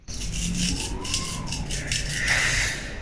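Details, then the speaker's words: FPV drone brushless motor contaminated with sand and magnetic rust dust from landings and crashes: coarse, gritty scraping that rises and falls as the motor spins; debris grinding inside, fixed by opening and cleaning the motor. "Ou quando eu caio com Drone naquele local eh os motores acabam por pegar SUS Dad e também acaba por entrar a Red dentro do motor então é você tem aquele barulho aquele de que está ar raspar lá dentro"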